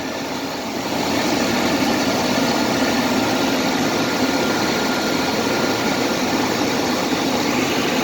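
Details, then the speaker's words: CJ with a bad alternator, cold engine just started: rough idle with a faint thin whine that comes as the charging voltage, which should read 14.6 V, dips erratically to 13, 9 or even 7 V; failing alternator. "And I also hear this funny noise in it. When I hear the noise is when the numbers dip down."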